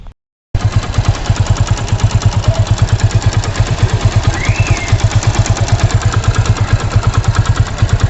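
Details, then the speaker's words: 100cc motorcycle, often ridden at around 90–100, recorded before a service; a steady, fast tick-tick-tick rides on the idle beat about three a second, coming from inside the engine, with poor fuel economy; cause not pinned down. "अब मैं clip जोड़ रहा हूँ, उसमें आप सुनिए कि bike में से, इंजन में से क्या cut cut cut cut cut cut की आवाज़ आ रही है।"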